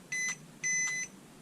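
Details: JJRC H66 Xmas Egg toy drone gravity-sensor remote held horizontal during power-on calibration: two clean high beeps, short then longer, as it binds normally to the drone.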